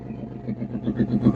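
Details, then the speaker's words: 1935 Ford deluxe with a 302 Boss V8, just restarted after decades of sitting: deep, even burble with a steady lumpy pulse, no knocks or misses; idles healthy, though moisture still needs drying out. "I don't know if you can hear me, but that sounds pretty nice, man."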